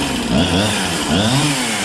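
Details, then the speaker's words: Husqvarna 365 chainsaw after new piston and cylinder, reported low compression and no start, now running: high wavering full-throttle scream with slight burbling break-up, rich four-stroking tune; sounds healthy. "it actually is tuned to ever tuned it or whatever it actually sounds pretty good"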